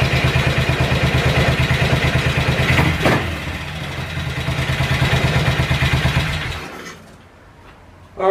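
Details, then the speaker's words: Cold-start idle on a BSA 441 single with an Amal carb cleaned after water and sediment in the float bowl caused sputtering and missing. An even, slow, steady thump with no misses, then fading; idle and air-fuel mixture roughly dialed in, to be retuned once warm. "i just got it dialed in it's totally cold so i got the idle half decent and i was able to get control over the air fuel so i just slightly dialed it in close"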